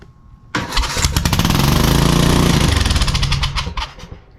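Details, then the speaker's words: Home-built turbocharged lawn mower engine being started. Catches and runs rough and uneven in ragged bursts of about four a second; the gas ratio is not right, and a bigger carb or jet changes are suspected to be needed. "wow it kind of runs it sort of runs uh the gas I have to figure out how to get our gas ratio right our gas ratio is not right"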